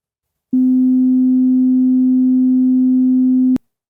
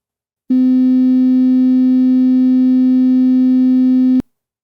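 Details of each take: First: so even if you can't hear the difference you can see the harmonic distortion for all three speakers so first here's the good speaker Second: and now for the borderline speaker it does have measurable perceptual rub and buzz but not as bad as the bad speaker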